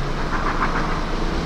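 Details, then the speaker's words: Perodua Axia after replacing spark plugs, which caused jerking when accelerating from 80 to 100 km/h (gearbox and mountings first suspected): steady, even idle with a low smooth drone and no stumbles or misses after starting; engine sounds healthy. "Dia semput-semput lagi ke tak? Kalau tak boleh rasa time start pun kita boleh rasa. Bismillahirrahmanirrahim. rasa macam tak ada."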